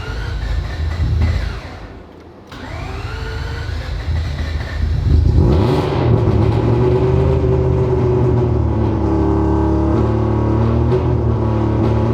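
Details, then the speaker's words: Rebuilt 20B three-rotor engine in an RX-7, O2 sensor warmed up: rough, surging note with revs hunting and uneven pulsing about three to four a second; gauge shows it running lean during the weird noises, so not getting enough fuel. "it is running lean when it makes those weird noises therefore it's not getting enough fuel"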